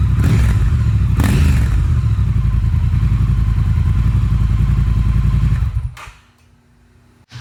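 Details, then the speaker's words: Triumph Thruxton R with stock exhaust and catalytic converter, before an X-pipe cat delete: twin revs evenly with a deep, muffled, very quiet exhaust note, then drops away; normal revving, quiet stock exhaust. "play some sound some audio to show you guys what the bike currently sounds like which if you would have watched my walk-around videos kind of disappointed with it's very muted very quiet"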